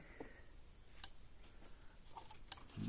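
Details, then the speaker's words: Patriot PMX350 fence energizer plugged in before case work; sharp single clicks about every one and a half seconds in a quiet room, pulsing normally. "Hear it clicking along."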